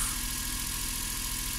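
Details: Suzuki Every 62V kei van left unused about 4 months, started on its own winter battery without the jump starter despite low voltage: steady, even idle hum, no stumble or knock; running cleanly.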